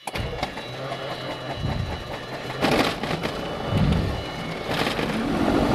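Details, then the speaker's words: Mooney M20J fuel-injected Lycoming engine hot start just after flight, throttle cracked, mixture out then eased in; uneven sputtering bursts and surging before settling; dirty, rough hot start. "okay kind of a kind of a dirty start but once you start your own airplane all the time you'll you'll see that you'll kind of get an idea of what it takes"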